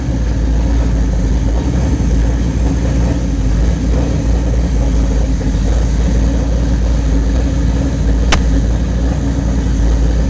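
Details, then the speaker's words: Rebuilt carburetor retested on a test engine after Teflon tape lodged on the needle seat was cleaned out: steady, even idle with smooth low drone, no misses, stumbles or surging, no leaks; normal idle. "no leaks and no leaks out of the top of the [Music] carburetor sounds good looks good and it does not leak"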